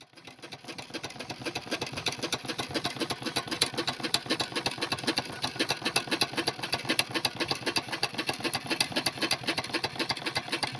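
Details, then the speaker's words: Burrell steam engine running: fast, steady knock on each stroke from excessive connecting rod play and a worn big-end bush at the crank. "I found a video from the end of last year, and listening back to it, you can clearly hear the knocking as the engine runs."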